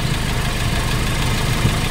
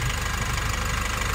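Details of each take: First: Nissan NV350 diesel idling with valve cover off after new injector washers: leak gone but still strong vibration and uneven clatter of about four knocks per second; fuel knock blamed on injector number 3, to be replaced. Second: Nissan NV350 diesel at idle after replacing the injector washers and one fuel injector: a steady, even low clatter with no misfire or shake. The earlier knocking and strong vibration are gone, no check engine light, and the engine runs normally.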